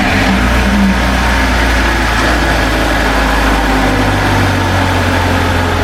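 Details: 2004 BMW 325i project car, exhaust manifold now fully connected after it made noise the day before: steady, even idle with a low, smooth hum and no ticking or puffing from the manifold; normal idle.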